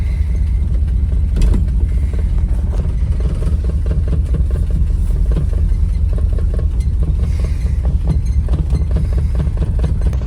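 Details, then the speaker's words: 1964 Mercury Marauder 390 V8 two-barrel, long-stored since 1987, revived: deep, loping idle with uneven beats and occasional sags, wanting to die; otherwise running well, cause not pinned down. "It's running really good. Uh, it does kind of want to die a little bit."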